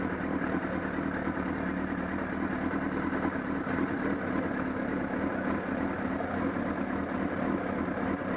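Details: Honda CBR1000RR at idle: a quiet idle with an uneven, fluttering low flapping pulse from the engine area that grew stronger at Sportsland Yamanashi, along with a loss of torque. Cause not yet known.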